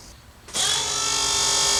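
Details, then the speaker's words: Built turbo LS in a 1974 Chevy Caprice, key-on after upgrading from a 360 LPH Aeromotive to a Holley 12-1800 twin-100 GPH fuel pump: a steady, even high whine holding one pitch; pump primes and runs normally, shows fuel pressure, no leaks. "Pump works. Have any fuel leaks? Nope, no fuel leaks."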